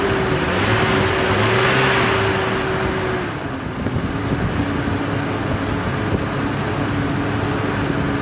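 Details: Chevy Trailblazer after fan clutch replacement (the loud whine came from the old fan clutch): engine revs then settles to a steady idle, fan rushing evenly with no roar or whine. Cooling fan sounds normal.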